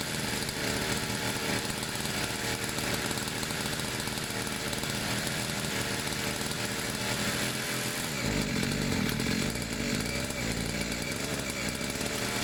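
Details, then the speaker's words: Two-stroke pit bike, fresh fuel, long unused, choke off, idle a bit weird: high buzzy note wanders unevenly then shifts pitch abruptly; erratic running from slipping choke. "I mean that wasn't bad um I'm just the full cable would come out so all the idols a bit weird it didn't want to throw a lot but it's been a long time it will need to idle for a while"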